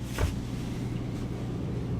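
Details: Airstream Atwood/Dometic propane furnace that had stopped working overnight, first run after a DIY repair: a short clunk, then a low, even blower hum settles in; the furnace lights and runs smoothly.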